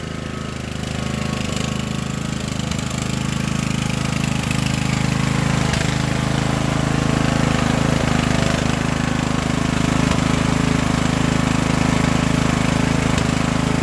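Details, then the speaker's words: Craftsman LT1000 riding mower with transplanted Briggs & Stratton engine, just started with choke after engine swap: settles into a steady, even run with no knocks or misses; healthy. Smoke is spilled oil on exhaust; six-speed transmission won't go into sixth. "not bad guys we got a runner we've got the motor the engine transplanted and it does ride"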